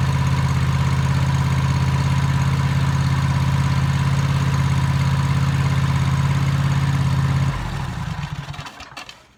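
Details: Toro TimeCutter MX 4200 zero-turn mower that had run rough, after replacing the ignition coils: a steady, even twin-cylinder idle with no hunting or surging for about seven seconds, then a clean shutoff.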